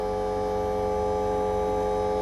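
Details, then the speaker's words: Fuelab variable-speed brushless fuel pump on FuelTech FT550 PWM, 80% map-based duty test: loud steady high whine, no pitch change; pump stuck at high speed because control logic is reversed (ungrounded input means high speed). "the fuel pump is sinking it's calling for high speed because if you're grounded with a jumper it's low speed not grounded it's high speed"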